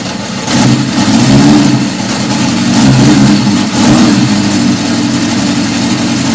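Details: 1977 Honda CB750 F2 four-cylinder, first start after a complete engine rebuild, with a 115 main jet, stock air box and mixture screws 1.5 turns out. Revs up and down, hesitant and uneven on return, strong fuel smell. Owner suspects it needs more fuel; not confirmed.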